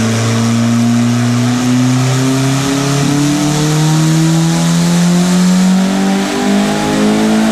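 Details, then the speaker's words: Turbo Honda Civic on a $120 turbo at 10 psi, with timing adjusted and fuel reduced from super rich. Smooth, clean pull to very high revs with no misses or rattles. It reached 229 hp, a healthy high-rpm pull. "so this thing is revving to the [ __ ] moon that's it that's all she's got huh"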